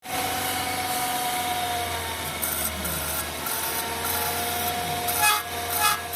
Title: Gmc front disc brake noise #rizzfixx #youtubeshorts